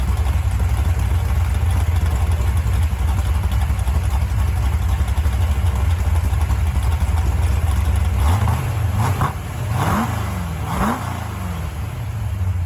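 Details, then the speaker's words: Stock-stroke 1974 Mopar 400 big block on an engine stand during first-start break-in, warming up; deep V8 fast idle rising and falling on blips with a raspy chuffing edge from an exhaust leak at the header collector, better gaskets planned. "you could probably hear in that one video had an exhaust leak going right through here and that header collector uh I know what I need to do to fix it so it was making a little bit of Racket there"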